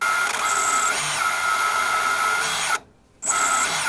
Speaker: All the others are spinning fine. That one is stuttering. And it's bad because when I've got it in flight, it wants to flip over. It loses power.